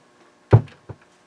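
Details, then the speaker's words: Harman Kardon HK3600 receiver: one heavy low thump, then a smaller one, from the left speaker only when switching inputs (phono to CD); suspected DC on the left channel in preamp or input switching stages. "CD, you hear that big thump, and that's in the left speaker only. So I got a problem on the left channel, in somewhere in the preamplifier stages, or the preamplifier stages, or the switching, the input switching."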